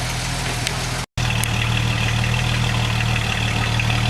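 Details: Jeep Wagoneer XJ idling after its warm no-restart fault was fixed by bypassing the fuel pump ballast resistor. Steady low rumble with an even beat and no misses or knocks: idling smoothly.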